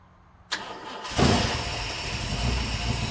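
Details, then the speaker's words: OBS Ford Bronco with a hot-start problem, cold engine, battery fully charged and charger connected: short crank, catches at once and settles into a smooth, even idle, a good cold start; hot starts barely turn over. "That's pretty good. That's pretty good. It's pretty good when it's cold and the battery's completely charged up."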